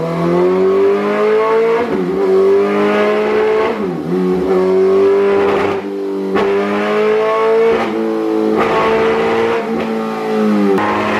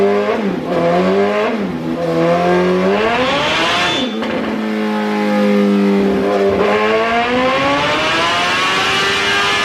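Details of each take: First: 2008 Suzuki GSX-R1000, previously ECU-mapped, warmed up, on a dyno baseline pull under load: revs climb, then sag and stutter every few seconds instead of pulling cleanly; fuel starvation misfire, failing fuel pump. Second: 2008 Suzuki GSX-R1000 on a dyno, ECU reflashed back to stock after another shop's map, warmed up: repeated clean full-throttle pulls, pitch climbing smoothly and dropping back with no stumble or cut-out; fuelling sounds healthy.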